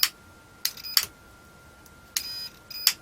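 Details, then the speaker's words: Continuity test across the double-pole switch of a 1980s industrial hand blender, pressed on each side: four short clear high beeps; continuity good, switch works, as do plug and cable. "right so plug's okay ca's okay switch is okay"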